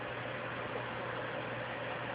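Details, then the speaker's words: PlayStation 3 during Blu-ray drive remarry, console suspected of a loose RSX chip needing reflow: steady loud rushing fan roar with low hum underneath, never changing speed. "I don't know if you can hear that sound in the background, but this PlayStation has a loose RSX chip, so it has to be reflowed."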